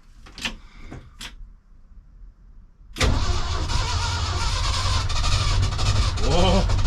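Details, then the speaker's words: 1976 crew cab truck in neutral, drenched with starting fluid: a few clicks then starter churns steadily without catching; cranks but won't fire, bad fuel pump suspected. "Drenched her with starting fluid that time. Let's see. Not looking good, guys."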